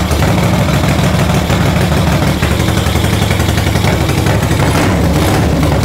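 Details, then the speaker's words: 1975 Moto Guzzi 850T twin, unused for over 10 years, started after a carb clean on fuel with two-stroke oil added, using a jumper wire, oil unchecked: loud, steady, even low thumping with no misfires. Idling cleanly. "yes we don't want to run it too long so I haven't checked the oil or anything but it's alive"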